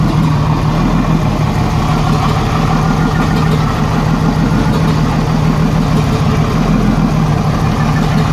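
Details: 1987 Jeep Cherokee Renix 4.0 six-cylinder rough idle with recurring misfire stumble; cylinder 6 exhaust rocker moved less than the others, and the owner suspects a sticking valve or bad lifter. Loosening that rocker bolt made it run smooth, leaving a slight tick.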